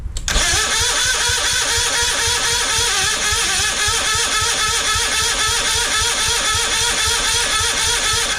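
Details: Citroën 2CV engine, carburettor stood empty 20 years, very flat battery, full choke and a little throttle: steady fast cranking with rhythmic compression pulses for eight seconds, no firing; carburettor likely still filling, cranks but won't start.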